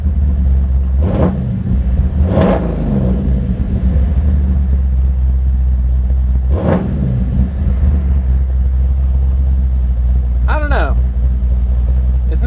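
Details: Big block 540 V8 with Edelbrock 850 CFM VRS 4150 carburetor, warm at operating temperature after idle-screw tuning; deep burble with several quick blips settling back to a lumpy idle, sounding rich ("so fat"): carb tune close but not quite right.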